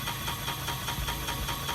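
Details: BMW 318 driven after a differential change, accelerating through the gears: steady, even knock about five times a second over the drivetrain noise as the whole wheel wobbles; owner suspects a missing bolt at the wheel end.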